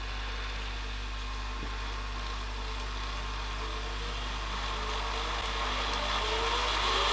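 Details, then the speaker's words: Panasonic NV-HD650 VHS recorder after service (mode switch cleaned, previously wouldn't rewind fully), rewinding from nearly 2 hours into the tape; steady motor whir rising as the spools speed up, smooth and even, a healthy fast rewind. "well made it to the end of the tape at least that's better than it was that's AIT I think that's this tape so we're nearly 2 hours into that I'll rewind it from there and see what it does"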